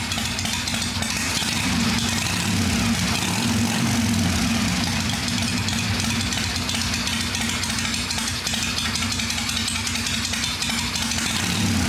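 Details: V-twin "little 81" at a quiet, loping, steady idle after a clean-up and tune-up, no top-end tapping; some oil spewed out earlier but has stopped, owner says she's quiet and sounds good: normal idle.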